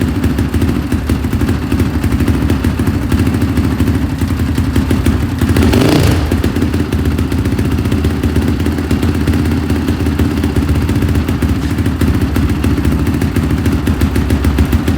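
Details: 2005 Honda CRF450R after owner's top-end rebuild that wouldn't start, now with timing reset and retorqued: big single fires and settles into a loud, even thump with no misses; running healthy, problem solved.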